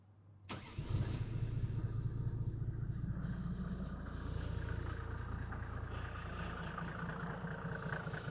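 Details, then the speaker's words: 1993 Mercedes G350d rebuilt with an OM606 swapped in for the failed OM603 (now a G300 turbo diesel), true cold start at about 5 degrees with glow plugs: brief crank, then it settles into an even diesel clatter. Healthy start. "So it is cold outside. It's about 5 degrees. So you can see how a cold start actually works."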